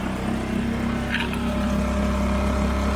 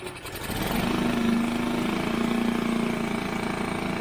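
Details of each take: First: Barn-find Mercury 5 hp four-stroke outboard that had sat unused, run after the water outlet was cleared with a wire: a smooth, even idle with a steady low hum, no stumbling or knocking, and the cooling water flowing. Normal running. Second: Mercury 5 hp four-stroke outboard, barn find in long storage, first start by pull cord: picks up and holds a steady buzzing run with a constant mid tone, no obvious knock or miss; water seen from tell-tale.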